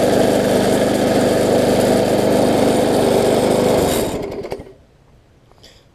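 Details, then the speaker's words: Bolens self-propelled mower after its ignition coil was regapped to the flywheel, which restored spark: small single-cylinder engine starts on the first pull, runs smooth and even with no misses, then shuts off cleanly. Normal running. "I can hear it does run good and start it up on the first pole which is always a plus"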